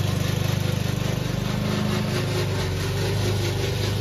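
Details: Old Toro Recycler lawn mower: loud, coarse rattling pulse about three or four beats a second over the engine from the drive system; noise later solved with WD40.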